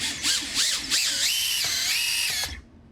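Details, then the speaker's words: Tiny whoop motor, after the all-in-one board was scrubbed clean and the motor resoldered: a high, thin whine swoops up and down with throttle blips, then holds and cuts off cleanly. The motor now spins properly; the fault was likely a solder blob bridging near the FETs. "There was a tiny blob of solder, like right resting around the FETs, and I'm guessing it was bridging something because, I mean, it just worked Interesting."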